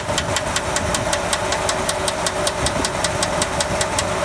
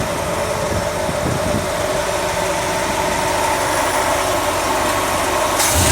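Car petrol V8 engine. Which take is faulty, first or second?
first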